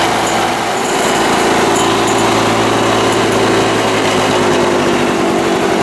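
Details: Lawn-Boy 6230 Commercial two-stroke mower, old oily sludge drained and fresh gas added, hard to start with a worn primer: steady high-pitched drone with a slight flutter, running fine but wanting carburetor adjustment.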